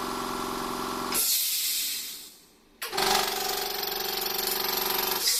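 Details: Try-POWER quiet-type air compressor with an abnormal noise after about two hours of use: harsh hissing run with fast uneven rattling that drops out and restarts; suspected connecting rod misalignment, tacky sealant found on the pressure valve.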